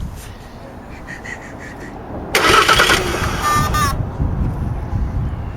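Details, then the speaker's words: 2007 Jaguar X-Type SE 2.2 diesel with intermittent no-start: steady cranking with a high, fast injector buzz as it tries to dump high rail pressure, but no fire; codes P2288 injection control pressure too high and P0191 fuel rail pressure. "Try it again, and you can hear the buzzing from the injectors where it's trying to get rid of the high pressure."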